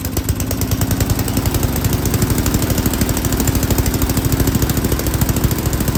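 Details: Yard King snowblower, full throttle, choke on; choppy, uneven chugging that stumbles and picks up while the carburetor high-speed mixture screw is adjusted.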